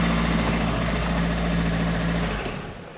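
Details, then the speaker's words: 2003 Renault Clio Sedan 1.0 16V at idle, with a broken oil cap and air leaking in: even light knock about four times a second over the engine note. Suspected cause is the head gasket fitted inverted or wrong after head reassembly; not confirmed. "mas esse barulho pessoal tô suspeitando que montar o cabeçote com a junta invertida com a junta errada"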